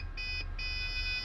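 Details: Desktop PC that stopped working after sitting disconnected: at power-on, long high-pitched motherboard beeps repeat over a low fan hum while the monitor gets no signal; cause suspected, not confirmed.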